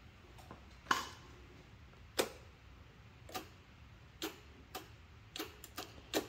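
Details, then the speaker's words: Hustler Fastrak SDX60 (2017) mower, no-start: sharp single relay clicks at uneven intervals, no starter whir or cranking; ignition circuit clicks but starter solenoid gets no power, traced via schematic and multimeter to a damaged wire. "you can hear the click the ignition coil is working but the starter solenoid is not"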